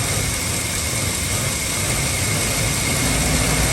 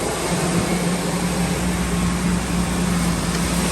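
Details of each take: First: 2003 Ford F-350 Super Duty 5.4 L, no check-engine light: idle stumbles and sputters unevenly, sagging as if about to die, then catching again; rough idle, cause not yet found. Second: 2003 Ford F-350 Super Duty 5.4L after replacing a seeping passenger exhaust manifold, revved: an even, steady engine note building slightly, with no ticking or puffing from the manifold; the engine sounds sealed and healthy.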